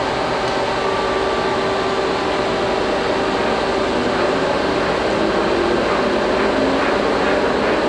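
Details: 1983 Geminis GE-1000-A 40"/51" x 120" gap bed engine lathe, 40 hp, spindle 5.6–1120 RPM, run at higher speed; even steady gear whine and hum, no knocking or clunks, gear train healthy.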